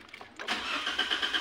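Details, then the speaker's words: Toyota Avanza 2015 1NR petrol engine, hard starting with DTCs P0335/P0113/P1604: starter cranks in a steady pulse about eight beats a second before the engine finally fires; cause a leaking fuel pump O-ring losing fuel-rail pressure. "Nah kayak gini guys tuh, dia susah sekali hidup guys ya. Nah baru hidup guys."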